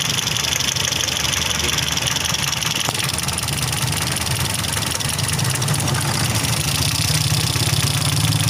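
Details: Toyota Vios with 2NZ-FE petrol engine, no-power complaint: uneven, lumpy idle with irregular stumbles and vibration over a steady drone; rough idle, likely a cylinder misfire.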